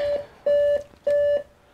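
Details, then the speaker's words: Dell Inspiron One 2330 all-in-one at power-on: power light and button work, then steady mid-pitched five-beep POST error code, about a third of a second each, indicating CMOS battery failure; RAM and SSD also being upgraded. "so I thought we do a video on it power light on power button that's working five beeps"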